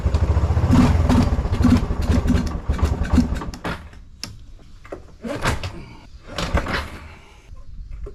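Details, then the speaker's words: 1996 Kawasaki Bayou 300 4x4, sitting a year, started on starter fluid with full choke: catches in uneven bursts, sputters a few seconds, then dies to weak pops; acting out of gas, owner plans to top off fuel. "Okay, it's acting like it's out of gas. What I'm gonna do is I'm gonna go get some gas and we'll top it off, see if we can get it going."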